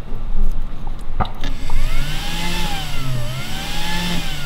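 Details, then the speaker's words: Replacement cooling fan for an MPT-7210A solar charger, long stored, powered on test leads; steady, fairly quiet hum with gently wavering pitch, no grinding or rattle, bearings fine and much quieter than the original at full speed. "can hear that and it actually sounds really good so the bearings on this are perfectly fine and it's on thick of a lot quieter than the original one at full noise"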